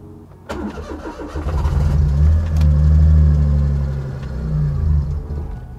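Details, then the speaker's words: Daihatsu Mira with custom turbo engine swap, first start, wastegate disconnected to avoid boost: catches after a brief crank, revs up and settles into a steady, even idle with no knocks or misses; runs fine. "that sounds pretty good like it didn't sound too bad it's nice weird"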